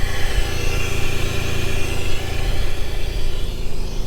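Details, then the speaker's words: Jeep TJ buggy on 42-inch tires and one-ton axles, newly acquired: deep even rumble at idle just after startup, no knocks, misses or surging; sounds good, though wiring needs redoing. "Sounds good."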